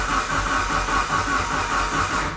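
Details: Fully built Mitsubishi Evo 9 engine on its first-start day, after an aftermarket starter gave just one click: with the OEM starter fitted it cranks strongly and evenly in a steady rhythmic chug, no click or hum, so the aftermarket starter was at fault.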